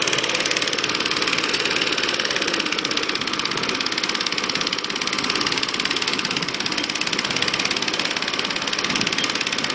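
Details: Acto lawnmower with new air filter, cleaned/checked plug, fresh SAE 30 oil and electronic ignition running: even steady buzzing with quick regular firing beat, no misses, knocks or rattles; normal healthy running.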